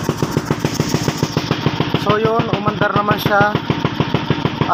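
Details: Suzuki Skydrive scooter that wouldn't start and had erratic idle (spark plug change didn't help), after sanding piston: uneven stumbling putter about three beats a second with skipped firings; misfire from air leak at cracked intake rubber.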